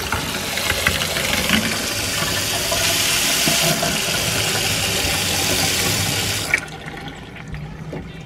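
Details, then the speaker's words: 1960 Chevrolet Roaming Home motorhome plugged in, steady rushing hiss of water at the tap for about six seconds then shut off; cold water supply working, no hot water. "no hot water of course working groovy there"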